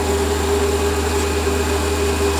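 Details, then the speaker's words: Lathe cutting with the newly finished stepper motor power feed, feed rate adjusted up and down: smooth even low hum with a faint steady tone near 400 Hz, no knocks or grinding; quiet, healthy cut. "there we are nice spine feed on me and obviously i can uh bring him in a bit let me uh turn it up a bit and turn it down yeah it's great works a treat"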